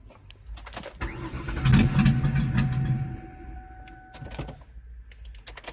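Starter grinds the engine over in a rapid, uneven churn for a couple of seconds, but it never catches and runs; a no-start.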